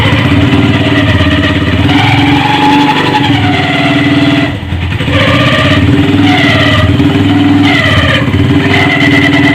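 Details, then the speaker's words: Hi Speed Infinity 150 cc motorcycle idling with blips: loose metallic rattle over the single-cylinder beat; opened clutch showed excessive play in the clutch basket causing the noise. "यह तो दोस्तों आप देख सकते हैं कि बक्से के अंदर काफी ज्यादा प्ले जिसकी वजह से इसके अंदर काफी ज्यादा खराब हो गया था जो आवाज आ रही थी"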